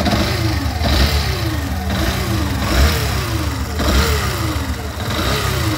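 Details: Yamaha Fazer 150 (2019) motorcycle at idle: a whining tone sweeping and repeating about once a second over the engine beat; not bearing or clutch, pointing to stator whine.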